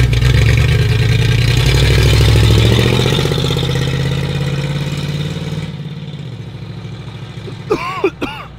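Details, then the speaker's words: 1962 Lincoln Continental V8, one-owner original car stored for years, first drive: heavy V8 revs then settles toward idle with a rapid steady knock, about four a second, under the exhaust; engine knocking when driven, source undetermined. "oh it's knocking boys [Music] you know it's knocking yeah that thing does not sound good at all"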